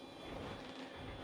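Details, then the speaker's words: Acorn A5000 computer from the late 1980s, otherwise working; steady airy whir with a faint whine over the computer's hum, louder than it should be; the cooling fan is noisy and due for replacement. "replace the fan because, as you can probably hear, it's quite noisy."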